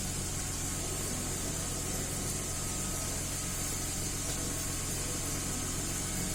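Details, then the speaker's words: 2010 Mercedes-Benz GLK 350 3.5 V6 after swapping and cleaning the exhaust cam solenoid (earlier P0017 and bank 1 misfires): steady even idle, no stumbles; running smooth on all six cylinders, no misfires. "Well, that's nice. Seems to be running smooth on all 6 cylinders, no more misfires."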